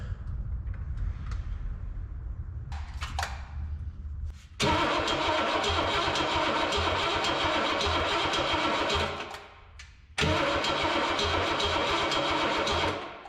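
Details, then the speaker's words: 1960 Cadillac Coupe DeVille barn find, unrun since 1974, spark and fuel confirmed; starter cranks V8 steadily with even compression beats but not a single pop, power lost through bad connection; cranking no-start due to bad power connection. "Well, now what'd you do? I didn't do nothing. We lost power. Bad connection."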